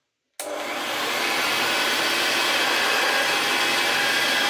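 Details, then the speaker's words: Vintage Hoover Senior 652a vacuum cleaner after refurbishment, with hair clips and dust cleared from the fan and the seized fan bearing greased: steady, even high-pitched whirr after switch-on, no rattle or scraping; normal running. "And there we go. Doesn't sound so bad now. It's not got that big mass of hair clips and dust clogging up the fan."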